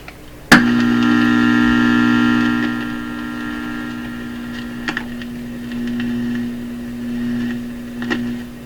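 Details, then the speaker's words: Conar Signal Tracer Model 230 in audio mode, probe input grounded: a steady low hum with a buzzy overtone remains after a click. It drops way down in radio mode, so the owner now doubts it is power-supply hum; source unknown. "So the hum appears to have gone, and you think if it was a power supply hum, you'd still hear it. There's a slight hum in this. So I was wrong about that. The source of the hum is something else."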